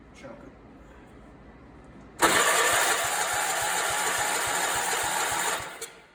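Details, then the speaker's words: Allis Chalmers 416 garden tractor, barn find, with spark confirmed and the plug moist. The starter churns steadily for about three seconds with no firing, so it cranks but won't start; it later ran on ether and smoked blue. "well that thing won't start"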